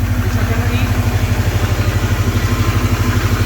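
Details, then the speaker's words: Subaru boxer after water pump replacement and unequal-length headers: smooth, even idle, about three low pulses a second, no knocks or ticks; owner notes it still has old Subaru piston slap, though the noise it usually made in the cold is gone; sounds healthy. "i mean it still has that like old subaru piston slap but yeah but like in the cold it usually be like it doesn't do that anymore she sounds good yep"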